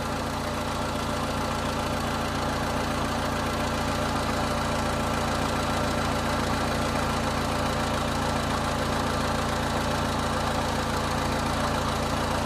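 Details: 2000 Honda Civic 1.6L SOHC after replacing the whole distributor (old cap cracked, moisture inside), during water test: steady, even idle with no misfire, stumble or knocking; fixed.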